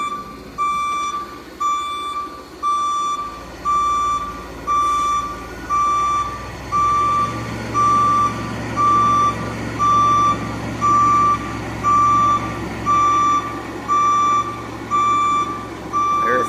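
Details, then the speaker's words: Case 580K backhoe reversing while sliding off the leaking extendahoe: loud steady beep about once a second over quiet engine; backup alarm working normally. "May have to edit this out if this beeper, because it's going to be on in a minute. If this beeper gets crazy annoying."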